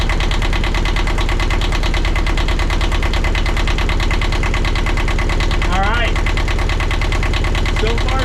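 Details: 1982 Catalina 30 marine diesel after replacing the blocked exhaust manifold, refitting thermostat and rebuilt water pump: steady, even clatter at idle with firm regular pulses, no misses or stumbles; normal idle.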